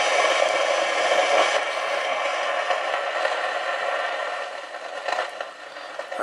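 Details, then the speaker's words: Realistic TRC-451 radio after all capacitors were replaced: a constant scratchy hiss with crackles from the receiver when it comes back after transmitting. The noise persists; a faulty transistor is suspected, not confirmed. "just liked it receiver came back and now you hear the noise"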